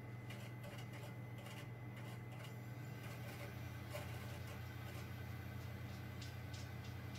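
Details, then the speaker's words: Xbox 360 disc drive that had been stuck closed and grinding, after realigning the tray pin: quiet, steady low hum with faint light clicks, no scraping; disc spins and the game loads normally. "and it looks like it's worked perfectly fine she's a game actually loads"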